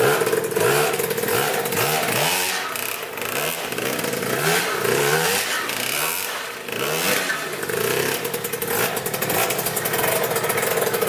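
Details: 2000 Cobra 50cc two-stroke mini dirt bike after carb cleaning, top-end repair and new throttle cable, started outdoors before a test ride: crisp buzz picking up cleanly on each throttle blip and dropping back to steady idle; healthy.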